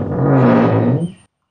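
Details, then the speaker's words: Car door hinge creaks with a loud, low, drawn-out groan when the door is opened and closed; dry, unlubricated hinge, to be treated with QPLUS spray grease. "Kalau kita buka pintu, oi kalau tutup balik pun dia bunyi macam ni."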